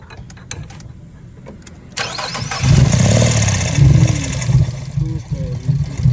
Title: Infinity misfire